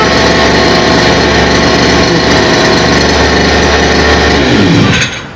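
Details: Brush cutter just fitted with a steel wire trimmer head, tightened on a reverse thread: steady high-pitched two-stroke buzz at constant speed, smooth and even with no misses, then drops away as the throttle closes; runs healthy.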